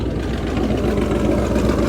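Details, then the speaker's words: Truck at idle: deep, throaty, steady idle with no ticking or skipping; owner says it runs like a champ and sounds better than ever. "It's just running like a champ. That is awesome. It actually is really sounding better than it ever has."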